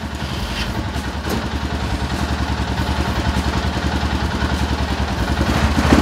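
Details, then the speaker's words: 2007 Arctic Cat 650 H1 ATV after replacing the front 4x4 actuator: steady single-cylinder chug, building slightly, with no clunks or grinding. Four-wheel drive engages, and the new actuator fixed the problem. "it engages that's a good sign let's engage it"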